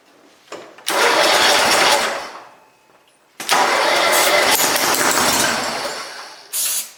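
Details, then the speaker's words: Cub Cadet Super 2082 lawn tractor (about 60-inch deck), sat at least 2 years, dose of two-stroke fuel added: two long starter cranks and a short third try, turns over but won't run; not getting fuel, to check with multimeter. "all right so we're not getting any fuel but it does want to start see can I keep it going so it wants to run"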